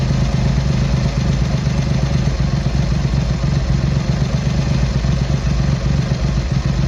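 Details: Triumph Hurricane X75 triple, not fully warmed up, after carb rack rebuild, pilot screws richened and left carb adjustment corrected: steady, even low idle without stumbling or hunting; running better, slightly rich with dark smoke off idle.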